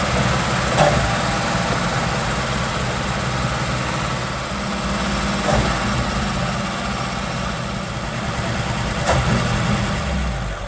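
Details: 1947 Ford engine idling with a deep, low, fairly steady beat, some unevenness and a few handling knocks, running normally after a no-start fix.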